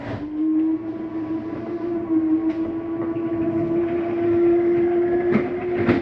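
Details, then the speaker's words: 2023 Flagstaff Superlite 29RBSD travel trailer bedroom slide retracting; steady motor drone, then brief grinding burst as it seats fully in, which is normal, not a fault. "I wanted you to hear that noise going in or out. That's just the slide mechanism saying that it's in all the way."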